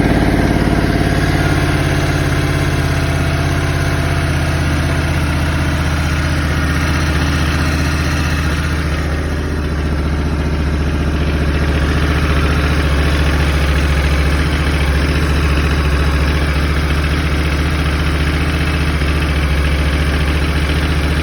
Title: 2021 Africa Twin DCT Cold Start Engine Rattle